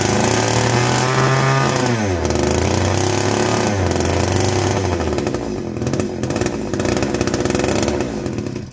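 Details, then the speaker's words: Castor 330 Antivib chainsaw (rebranded Alpina), before teardown: revs high, drops sharply, then holds a crisp even two-stroke idle with strong steady firing; sounds like a strong runner. "She sounds like she's going to be a strong runner, guys."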